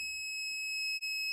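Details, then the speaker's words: 1982 Chevy van motorhome, power inverter newly wired to the battery: a steady high-pitched beep with a brief dropout at switch-on, which stopped after all connections were redone. "why is it beeping try it again"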